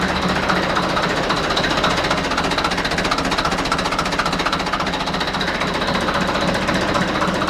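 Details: Deutz F4L514 air-cooled four-cylinder diesel, under repair of cylinders and cylinder heads: steady, even clatter at a constant pace, about four beats a second, no misses or knocks; healthy running.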